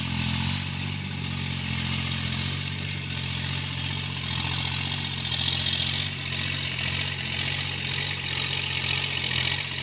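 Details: Tractor diesel pulling under field load during cultivation after the engine knock was fixed: steady, even drone with wind hiss over it, no knocking left; runs healthy.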